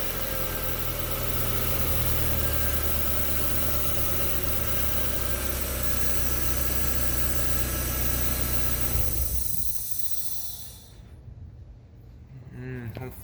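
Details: NA8 Miata engine bay at idle: thin continuous hiss from the passenger side that lingers briefly after the engine stops; alternator bearing suspected but hiss persists after pulley stops, source not pinned down.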